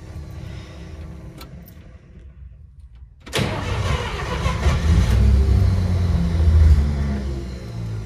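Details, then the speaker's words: 1953 Pontiac Chieftain in below-freezing cold: starter cranks quietly, engine catches with a sudden roar, runs unevenly a few seconds, then fades and stalls; won't stay running. Owner blames the cold. Cause suspected, not confirmed. "she just won't stay running she's right there"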